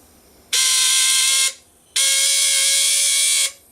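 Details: CNC stepper motor, taken apart and reassembled, still working: two roughly one-second bursts of loud, steady, high-pitched whine with even pitch and no grinding; stepping normally.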